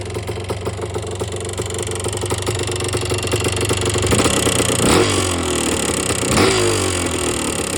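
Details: 1977 Yamaha IT250 idling with sharp regular ticking, then two blips; knock quickens with revs. Bad top end, piston slap suspected, possibly rod bearing play. Top-end knock.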